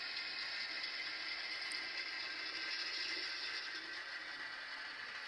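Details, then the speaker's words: Broadway Limited Imports N-scale SW7 locomotive at about 6% throttle after break-in, motion lunging and not smooth; thin, gritty rasp with faint ratcheting tick under steady motor hiss; dry gears grinding. "So after the break-in period, it did not settle down. It kind of lunges a little bit. And of course, we have that grinding noise."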